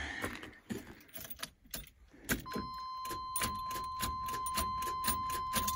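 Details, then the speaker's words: 1981 GMC truck won't start: rapid clicking about four per second from the starter area with a steady chime over it, no cranking; engine turns by hand at crank pulley but a strange noise comes from the starter area, more than a bad battery connection. "sounds like a bad battery connection right but no it's way more than that"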